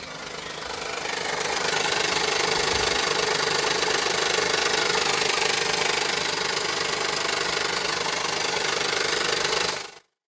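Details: 2015 Honda Pilot 3.5L i-VTEC before repair: a fairly regular tapping, about three or four a second, over a steady idle. Engine knocking at idle; a harmonic balancer problem is suspected and timing work follows.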